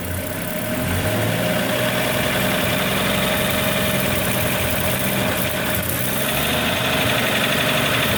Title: 1941 Chevrolet 216 stovebolt 6 strange engine noise